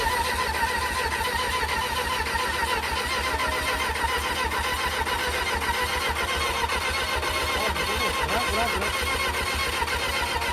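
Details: Cheap old 600 cc motorcycle that wouldn't start, choke used: starter chugs fast and regularly without catching; cranks but won't fire, owner thinks it only needs a battery.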